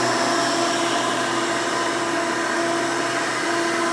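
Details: 1992 Hoover Elite II Total System Performance 650 upright vacuum, model U4689-910, bought used, motor untouched: loud steady high whir at constant pitch, no grinding or surging. Runs very smooth and sounds good.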